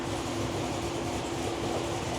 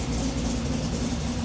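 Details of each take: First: V8, likely supercharged (SLP TVS2300), with long-tube headers, what look like stock mufflers and an otherwise straight exhaust, idling very loud: a fast, sharp tick of about three or four per second rides over the exhaust. Sounds like a header (exhaust manifold) leak; mufflers to be fitted. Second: Project engine with Sniper setup, just started out of gear and idling: quiet, smooth, even low rumble with no ticking or knocking. Motor sounds healthy.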